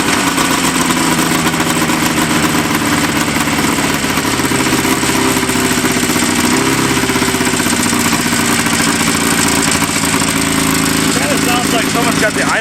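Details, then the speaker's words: Vintage snowmobile two-stroke, worn, revving high: engine hangs at high busy idle with ragged uneven beat as if one cylinder drops out; suspected idle set too high and a bad plug on one cylinder, not confirmed. "It sounds like it's got the idle cranked up really high and especially seeing how it's almost that coil bind."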